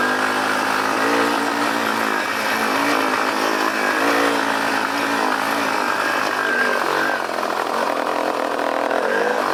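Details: Yamaha Warrior 350 ATV with parking brake sensor and clutch switch safeties; engine drones at low revs with a wavering note and never climbs, rev limiter engaged by the parking brake or possibly the clutch safety switch.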